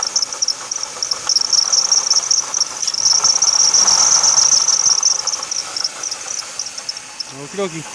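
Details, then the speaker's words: 2006 Ford Taurus 3.0L Vulcan, about 130k miles, at idle: fast, high-pitched, insect-like chirping rattle heard near the passenger footwell. A bad water pump bearing with no visible leak; replacing the pump removed the noise. "So anyway, so if the rest of the world out there that tried to look up bad water pump bearing noise, that's kind of what it sounds like."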